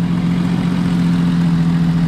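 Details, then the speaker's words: Jeep Cherokee started, running SeaFoam and smoking: deep steady idle with faint rapid puffing from an exhaust leak underneath. Exhaust leak puffing at idle. "clearly has an exhaust leak right down there"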